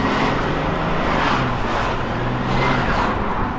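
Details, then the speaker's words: Mercedes E300 under throttle after replacing a burst turbo charge pipe: plain turbo rush with no whistling, boost system now sealed; a fitting is suspected to have caused the original failure. "Now you just hear the turbo and no whistling noise. Perfect."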